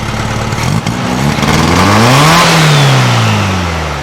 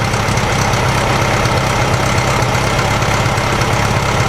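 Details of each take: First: Carbureted flat-four in a 1956 VW Beetle, open pipe, after rewiring fire-damaged wires and timing the distributor: throaty idle stumbles, then revs slowly to a modest level and drops back; revs fine only when choked, so still running too lean. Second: 1956 VW Beetle air-cooled flat-four with open exhaust pipe, idling after a screwed-up spark plug cap was fixed; it had a dead cylinder at low rpm that caused rough idle. Now an even, throaty, slightly farty idle, though it still isn't revving up properly.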